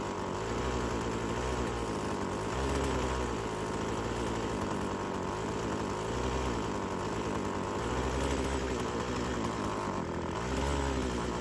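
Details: Old Craftsman chainsaw that sat for years; uneven buzz sagging and picking up every few seconds instead of revving clean; hesitation and bogging on throttle, owner suspects clutch hanging up.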